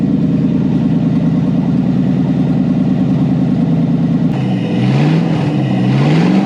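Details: Lamborghini kit car with a Toyota 1UZ V8 on a Link Monsoon ECU with coil-on-plug, at first fire-up after new wiring. A smooth, even V8 burble at idle, then clean rising revs with no misfire or knock: normal idle and rev.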